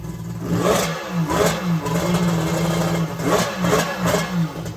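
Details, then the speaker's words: Two-stroke engine that had starting trouble: rough revving that surges and sags with clattery pops; owner suspects backfiring because the crankcase base was full of junk, debris coming out the exhaust; backfiring. "oh my god i don't know what the deal is with the backfiring it must just be because the base was full of junk or something"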